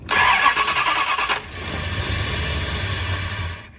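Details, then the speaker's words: 1970 Dodge Charger with the neutral safety switch wiring all plugged in during reverse-light diagnosis: brisk, even cranking for about 1.5 seconds, then it catches and runs smoothly before shut-off. Normal crank and start. "All right, so with it all plugged in, it should crank."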